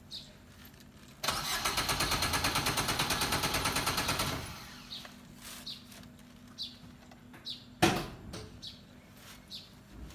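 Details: Suzuki car that always needs long cranking and won't start first time: starter grinds through about three seconds of steady cranking, roughly three beats a second, before firing; slow, reluctant start.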